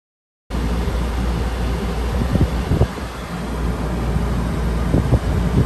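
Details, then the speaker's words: Penguin II rooftop A/C on a 2018 Pleasureway Ascent after installing a Micro-Air EasyStart soft start, about 33 A: fan rush and hum come in evenly, compressor joins with only faint thumps, barely distinguishable from the fan; smooth start. "i couldn't even tell the compressor as you can see there's no uh no differentiation between the scan and the compressor coming out"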